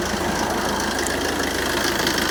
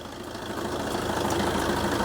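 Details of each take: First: Fiat Doblo Cargo diesel van, 140-something thousand miles, cold-start idle on a chilly day during a pre-MOT check: steady, even diesel clatter about three knocks a second over a rough idle; owner thinks it sounds bad, possibly due to the cold. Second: 2009 Fiat Doblo diesel van, idling on a freezing November morning during a pre-MOT lights check: steady, even diesel clatter with no knocks or misses. Normal diesel idle.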